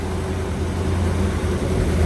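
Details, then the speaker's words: 1975 Corvette Stingray, SBC 350 with a repaired Quadrajet, cold and on choke at fast idle, choke opening as it warms. A steady low rumble at a raised, even idle with no stumbling or hunting; running properly. "thermostat opens more heats up and opens it will open that more now I can bid this Rod here to uh to get it to kick it open more but you notice it didn't hesitate and it's idling up faster"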